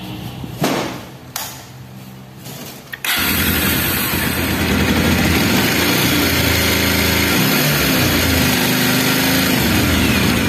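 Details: Bajaj Pulsar single-cylinder bike starts and idles with a busy metallic clatter from a slack timing chain and the scissor/balancer gear.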